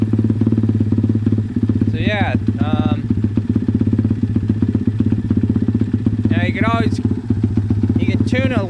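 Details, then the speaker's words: Pit bike with a Nibbi/Keihin PE26 carburetor after a pilot jet change: the single-cylinder engine thumps at a quick, steady beat and pulls cleanly when blipped, with no bogging or popping. The tune sounds good. "i mean i could probably adjust the needle a little bit but so far you know it sounds like it's running pretty good"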